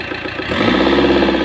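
Diesel idles with an uneven, lumpy beat and faint knocking after a hard start; it points to worn, low-compression cylinders.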